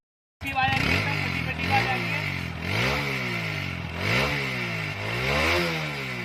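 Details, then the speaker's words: TVS Apache RTR 160 4V with the silencer's inner mesh burst, heard before repair. Throttle blips bring uneven popping and crackling (phat-phat) through the exhaust as revs rise and fall. This is exhaust popping from a damaged silencer. "जो silencer की आवाज थी फटफट की आवाज जो आती थी जाली फट गई थी उसी को ठीक करा रहा हूं"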